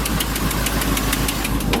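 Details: Oldsmobile Cutlass V8 at idle in about 30-something degree cold, with sharp, even ticking about six or seven a second from an exhaust header gasket leak being fixed.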